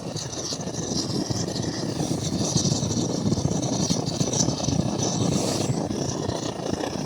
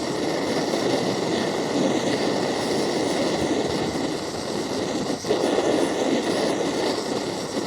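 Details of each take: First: MSR Dragonfly liquid-fuel stove, probably still warm, after priming: steady hissing roar with a slight flutter, no popping or sputter. This is the normal burner noise before turning it up, though the owner thinks it probably needs a service and jet cleaning. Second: MSR Dragonfly liquid-fuel stove, owned a few years, flaring up during priming after the fuel was turned on: loud continuous rushing roar that barely wavers. A first-time flare-up; owner unsure, maybe too much fuel, thinks it needs a service.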